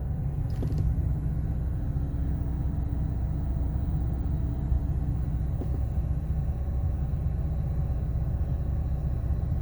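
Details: Ford 6.8L V10 during power balance test: deep uneven rumble with irregular stumble in the beat; one cylinder misfiring, cause unknown; engine misfire.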